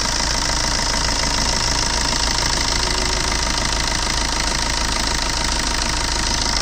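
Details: Red Swift VDI diesel idling steadily with a busy, slightly uneven clatter about three beats a second over a constant hiss; abnormal engine noise at idle, cause unclear.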